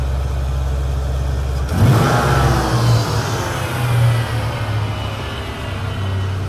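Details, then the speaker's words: 1993 Ford Mustang GT V8, EEC-IV key-on engine-running cylinder balance test: idle jumps to held fast idle, rpm dips and recovers evenly as each of eight injectors is cut; all cylinders contributing, normal. "you can hear that the car is revved up and you'll hear as it goes through each injector it should rev down a little bit then it'll rev back up Rev down a little bit rev back up as it goes through all eight injectors"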